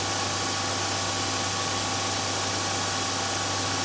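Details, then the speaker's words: BigBoi Washr Pro 20 (20-amp) pressure washer with stock 3.7 nozzle, about 17.5 A draw and 1160 PSI: low steady motor hum with faint even spray hiss, no knocks or rattles; very quiet, normal running. "And guys, you can hear, again, another very, very, very quiet machine. Incredibly quiet."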